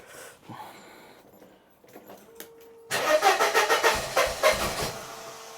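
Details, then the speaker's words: 1994 Mercedes W202 C180 after reseating a misaligned coil pack: the engine now spins freely, catches and runs in uneven lumpy pulses, then sags and fades; it will not hold idle, with misfiring suspected. "So, why is it not holding the idle then? Because it's misfiring."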